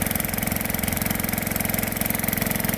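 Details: Gold dredge pump's small single-cylinder engine after nine months idle, with cleaned carburetor and fresh gas. It runs with a steady, even, quick firing beat around 220 a minute. It sounds healthy and settled.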